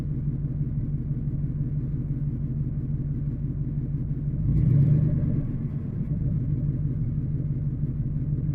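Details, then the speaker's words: Engine: a steady low rumble with an uneven soft popping beat, about three per second, and a brief swell. Owner suspects a spark plug misfire and plans new plugs and wires. "Yeah, I can hear a plug misfire, and I can hear it top, top, top, top, top, top. Not sure what's causing that."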